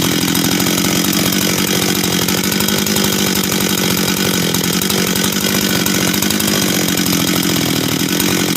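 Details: Husqvarna 385 chainsaw, first start after reassembly, first heat cycles: strong, steady high-pitched two-stroke buzz with no stumbling or surging, clean and even; starts and restarts easy, throttle response and idle good — normal running.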